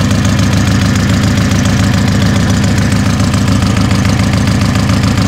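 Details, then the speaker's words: Car just reassembled after a new cylinder head, split cam gear setup and Niva camshaft. Loud idle with a sharp puffing tick at each exhaust pulse: the exhaust manifold gasket is leaking, not the muffler. "это явно не глушитель работа прокладкой течет"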